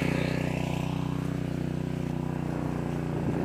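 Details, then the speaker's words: Harbor Freight Predator 212 engine on a 2-inch water pump, a year of farm use, just started. Steady, fast, even exhaust beat that settles as the pump primes, taking up water into 100 ft of fire hose with 8 ft uphill lift. Normal running under load. "Just heard the engine change, and the water hose is filling up, or the fire hose rather."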